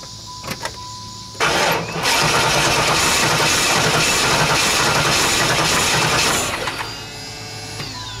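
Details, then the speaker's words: 1995 Formula LT1 V8, automatic, 118,000 miles: starter cranks steadily with faint catches but never fires; new Opti, ignition module, plugs and wires, 44 psi fuel pressure, good spark, compression 240–245 psi; no-start, cause unknown. "what she doing sound like it starts to start maybe but tell me what you guys think I mean I it's got me stumped cuz it's got fuel and Spark I mean I really don't see why it's not running"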